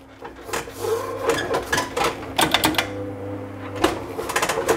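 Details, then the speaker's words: Oplite GTR S3 sim-racing cockpit, wheel base under very strong force feedback. Irregular bursts of sharp clicks and hollow knocks as the wheel moves up and down; this up-and-down wheel-mount movement is the loudest noise, a loose, flexing wheel-mount rattle. "Et ouais, pour moi le plus bruyant c'est ce mouvement de haut en bas là, qui fait que..."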